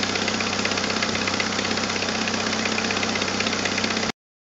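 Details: 1997 Jeep Wrangler TJ 2.5L at idle with a leaking exhaust manifold gasket and a missing manifold stud: a sharp, even tick about four per second chuffing over the idle. The fix was a new gasket and stud.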